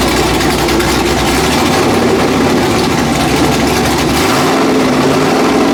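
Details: Factory Five Mark 4 Roadster engine on the run stand, last run before installation in the chassis: loud, raspy, even idle with a steady deep rumble and no knocks or misses; running healthy.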